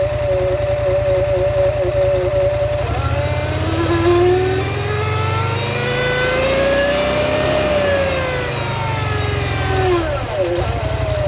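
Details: Scrambler XP1000 S revving: engine revs up and down with a whining tone that rises and falls with speed over the exhaust; odd noise, source unclear.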